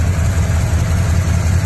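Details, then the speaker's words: 1998 Chevy K1500 after a wiring repair so the AC compressor engages and blows cold: a steady low hum over an even idle with no knocking or squeal; compressor running normally. "is running it is running good doing what it's supposed to do"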